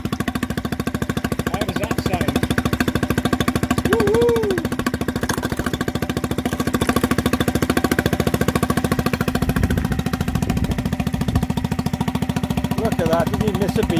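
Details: Mercury 3.5 hp four-stroke outboard after a carburettor rebuild and a new fuel tap; it previously would not tick over. Now even, steady firing at a quick idle, about three and a half beats a second, with no misses or hunting.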